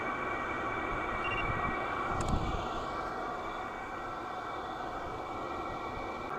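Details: Silvel 8KW 12V diesel air heater, warmed up on its first run: a quiet, steady airy whoosh with a faint constant hum and no stumbling or surging. It reads about 178–200 at the tube and is running normally.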